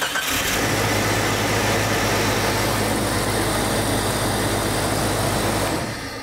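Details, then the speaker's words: 1996 Jeep 4.0-liter. Brief crank, then it fires right away and holds a steady, strong idle. Normal crank and start. "a lot of you know that that Jeep was gonna run it was early in my video filming career so I didn't know okay it runs it cranks it runs it is a confirmed fix"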